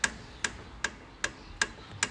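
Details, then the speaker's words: Ford Fiesta ST lower suspension arm rocked on lift: six sharp metallic clicks, ball joint moving in the arm, worn and about to drop off, causing knocking; new ST arm needed. "you see the ball joint there actually moving on the arm. I shouldn't be able to do that. So that's about ready to drop off."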